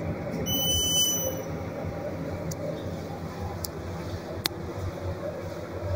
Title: Beeping noise better take